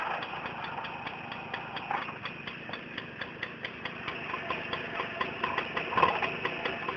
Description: Turorial on how to fix your Tomos clutch rattle noise.